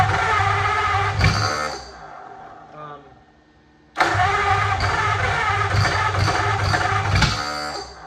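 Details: 1927 Roadster flathead V8 cranking with ignition jumped to battery: bursts of irregular popping with no catch; the plug wires or firing order are suspected of being wrong and will be checked.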